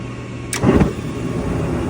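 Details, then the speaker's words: Gas furnace after hot surface ignitor replacement: a sharp click as the gas comes on, then a soft whoosh as the burners catch and settle into a steady low roar, lighting cleanly. "Again, click for the gas to kick on."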